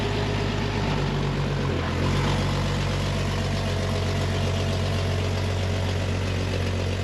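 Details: A 1999 Jeep Wrangler TJ after a DIY fuel pump replacement (the old pump was suspected clogged from a dirty tank) holds a steady, even low idle with no stumbling or dying out. It runs healthy.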